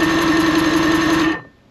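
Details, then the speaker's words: 1974 Thunderbird T190 boat motor during an ignition rebuild: fast, even starter cranking for about a second with steady pitch and no grinding. The wiring from the key seems good, and an old test spark plug then throws spark. "the motor cranked over which means all the wiring between here and there seems to be pretty good which is fantastic"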